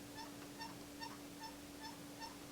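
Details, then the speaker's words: Kurzweil keyboard with a Fatar TP10 key assembly, unit switched off: seven short, honk-like squeaks in a steady rhythm as one key is pressed repeatedly. A squeaky key. "when you turn off and you press the key down you get a really bad squeak"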